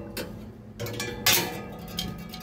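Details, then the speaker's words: Three-door chiller: running fan gives sharp, uneven ticks and scrapes as the blades sit too close and catch on something; fan gap needs adjusting, rodent debris found inside. "Ha dia bunyi gituah bunyi s-set gitu deh. Dia rapat tu kipas dia rapat. Kena adjust kipas dia tengok saya jumpa gap."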